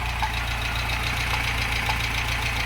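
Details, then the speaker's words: 1988 Conquest TSi parts car, sat in a barn about 20 years and smoking heavily: sharp, evenly spaced knocking on the idle in time with the crank; owner suspects worn rod bearings, possibly piston rings. "doesn't sound terrible at idle oo oo oh yeah she's knocking good huh so to me that sounds like rod bearings"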